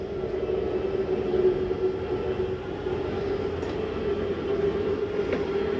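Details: 2023 Jayfeather 30QB travel trailer slide-out retracting via the J-Command panel: steady mid-pitched electric motor hum with a couple of soft clicks near the end, the mechanism signalling it is done. This is normal retraction.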